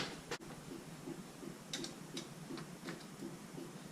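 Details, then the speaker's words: Junk parts pickup truck on a temporary battery, turn signal left on; crisp, even clicks about three a second in a quiet cab, normal flasher operation. "Sounds like a turn signal on."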